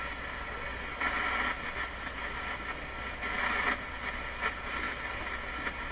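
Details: Stromberg Carlson Model 515 radio on shortwave around 12 MHz, during paper/wax capacitor replacement: slow irregular chugging swells about every two seconds over hiss, unaffected by supply voltage; source (radio or antenna) not yet known.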